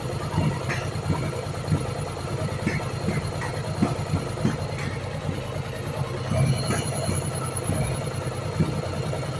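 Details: Yamaha Virago 1100 V-twin during valve adjustment and carburettor synchronisation: lumpy idle broken by small irregular pops and spits from the open intake with the air filter removed.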